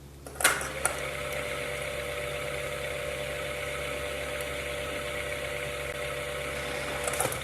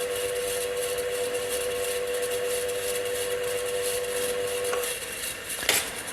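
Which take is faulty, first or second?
second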